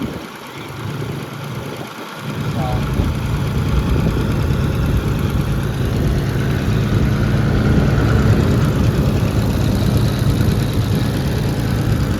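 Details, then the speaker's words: Oliver 70 tractor revived after a valve adjustment: after a rough catch it settles into an even, steady low idle, much quieter than the night before. It still needs a water pump gasket. "you can hear or not but she is a lot A lot quieter than it was last night"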